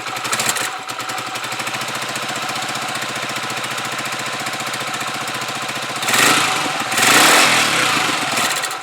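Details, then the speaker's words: Huoniao HN125 Chinese motorcycle with newly fitted carburettor, cold on half choke; single thumps steadily at a slightly uneven fast idle with a couple of blips, normal warm-up running. "revving, but it's cold and that's on half choke, so we'll just let it warm up a bit."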